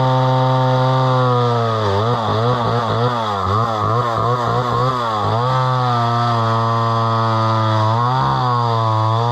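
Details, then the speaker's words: Homelite Super XL chainsaw bought at auction, about 50+ years old, 20-inch bar; strong steady two-stroke howl bogs and recovers as the chain bites into wood; runs clean with good power, no misses. "but that runs pretty good and it's got pretty good power that's a 20in bar"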